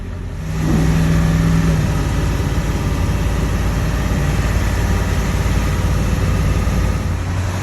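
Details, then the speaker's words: 7.3 Powerstroke diesel truck after all injectors were shimmed to fix a cold no-start, started cold off the plug and not yet warmed up: deep, steady drone pulling evenly under load with smooth shifts, no misses, knocks or rattles; normal running under load. "So smooth. I'll tell you what, it doesn't only help the thing start. This thing is running amazing. Super smooth shifts, super smooth power delivery. This thing is just purring."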